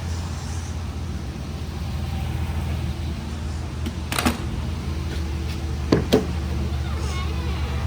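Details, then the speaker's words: Chevrolet Monte Carlo SS (probably 2006), 5.3L V8, front-wheel drive: smooth, quiet, even idle with low hum, no exhaust leak puffing; healthy. "It's either gonna exhaust leak or it's not. Beautiful. Nice and quiet. Yep, no leaks. That's good."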